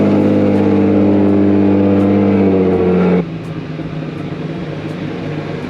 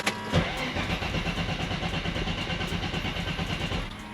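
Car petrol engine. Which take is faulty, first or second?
second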